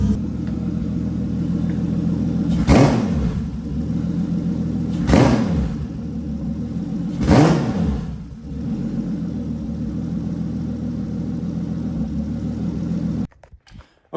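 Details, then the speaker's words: Toyota 2JZ on ECUMaster EMU Black, full sequential fuel and spark from the distributor, after warming up a little: smooth steady idle with three quick clean blips rising and falling evenly, no stumble; normal start and free rev. "guys so as you can see um after warming up a little bit it it was free revving really nicely"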